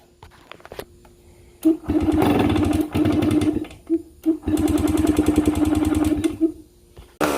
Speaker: It's alive. Amazing what a little fresh gas and fresh spark plug can do. Ain't nothing sounds like a two-stroke neither.